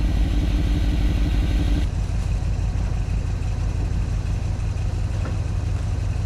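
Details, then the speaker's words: 1986 Chevy G20 van V8 warming up after sitting 5 years, alternator at 13.65 V: deep lumpy idle with a fast uneven puffing pulse. Exhaust leak on one side suspected, not confirmed. "From the sounds of it, it sounds like there's an exhaust leak on this side."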